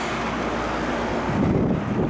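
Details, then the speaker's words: 1982 Emerson Quiet Kool 7400 BTU window air conditioner on high fan: steady, even air rush over low compressor hum, no rattles or surging; power draw rising only slightly to about 750; normal high fan operation. "I put it up to Super or high and power bumps up a bit but not that much especially after the fan gets kicked up"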